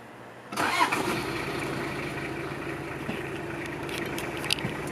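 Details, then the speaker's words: 1989 Toyota Hilux Surf (4Runner), 2L-TE turbo diesel, 5-speed manual, 4WD, 106,000 km; after glow plugs heat, diesel cranks briefly and catches at once, settling into steady even idle clatter; healthy cold start. "So yeah, starts right up, super easy. Sounds great, runs great."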